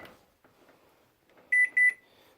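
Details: Microwave with a broken door switch temporarily jumped together: two sharp start beeps, then a faint steady hum as it runs normally with no buzzing or arcing.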